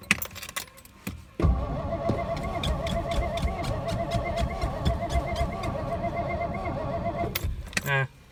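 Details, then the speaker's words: 1963 Studebaker Lark 2-door, fresh gas with lead substitute added: about six seconds of steady starter whir at roughly four cranking beats a second, and the engine never catches; starting fluid is next. "I gotta just crank it forever. I go get the start fluid."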